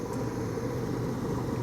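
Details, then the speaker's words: Lab gas furnace with no-heat call and intermittent pressure switch, spark igniter, after a wire was put back on: blower motor starts after flame is proven, steady low airy rush with no rattle, scrape or squeal; normal blower start. "There's our blower motor."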